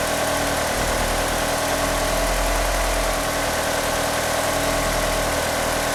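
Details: Car fitted with 850cc fuel injectors idles rough: uneven, lumpy idle with a hollow drone underneath; it also won't rev up, and the power steering pump belt slips. Cause not confirmed.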